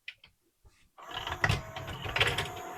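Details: Pioneer CLD-3090 laserdisc player after its stuck tray was fixed by cleaning the belt and old grease: a few light clicks, then the loading motor and gears run steadily without stalling.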